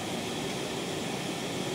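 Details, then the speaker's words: TLP Audio phono stage with two SP capacitor packs in the power supply: smooth, even hiss with no hum or ticking spikes; the spikes are entirely gone, leaving normal, clean background hiss. "spikes are entirely gone"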